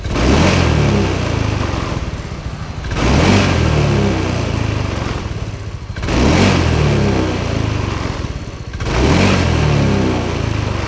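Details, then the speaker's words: 2017–2018 Honda Scoopy, possibly third-generation. It snaps to full revs and drops back cleanly on small, long and sudden throttle, never stumbling or stalling. It runs normally. "Oke, ya. Gak mati ya. Gas kecil, gas panjang. Oke, gas panjang, gas kecil gak mati."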